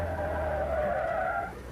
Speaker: We're right on the edge, you can hear the tires squealing.